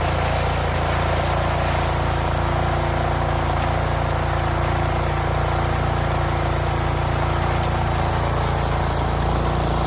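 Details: Cub Cadet 26-inch three-stage snowblower, about 8 years old, with a new belt, throwing snow: steady, even engine drone under load with no slipping or squealing; runs normally.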